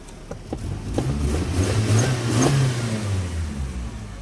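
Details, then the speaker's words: Jeep exhaust after a rusted, leaking flange was repaired without welding using a bolt-on "Frankenflange" with jam nuts: the engine revs and settles to a smooth, even low rumble with no leak puffing or ticking; the remaining faint rattle is suspected to be the heat shield. "But let's fire it up and see if that rattle went away. Okay, moment of truth. Fingers crossed. Nice and quiet."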